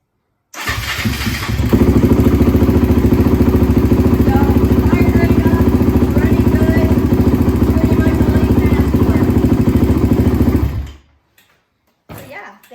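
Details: 2009 Honda TRX450R single after replacing flattened, worn carburetor O-rings with a mid-body jet block kit to cure bogging and stalling, started with no throttle: fires straight up, steady even thump, no bog, clean shutoff.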